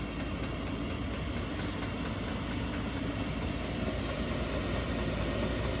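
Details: Chinese diesel RV heater in a snowmobile trailer, after about 20 minutes (cabin 12°C/54°F), turned all the way up: steady fan roar with faint quick fuel-pump ticking about three per second as fan and pump increase; running normally on high.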